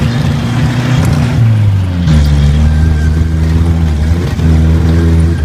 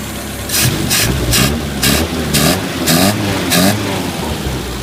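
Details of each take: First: 1980 Chevy Luv truck, long unused and revived, running on a replacement carburetor: the engine note climbs with throttle, then repeatedly sags and cuts out at high rpm before recovering. Owner suspects lean jets and plans to refit the cleaned original carburetor; timing also possibly at fault. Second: 1980 Chevy LUV after clearing a plugged carburetor jet, likely idle circuit, that prevented idling: steady low idle holds on its own with rain hitting in bursts; normal idle.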